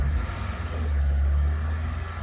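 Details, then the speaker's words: 2001 Toyota Kluger 2.4 L 2AZ-FE, after O2 sensor replacement and coolant temperature sensor wiring repair: held at high rpm it runs smooth and even with steady low drone, though it misfires and shakes at idle. "it's not misfiring at high RPMs quite smooth but as soon as the RPM drops"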